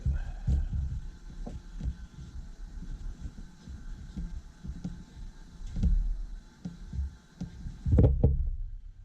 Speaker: Beautiful sound, buddy, for a 25. That's what they're supposed to sound like. Deep, raspy.